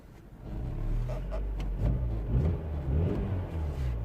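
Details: 2007 Mini One 1.4 petrol N12 with engine light on, idle bouncing badly and stalling, code 2982: the idle hunts up and down every second or so; faulty intake camshaft position sensor.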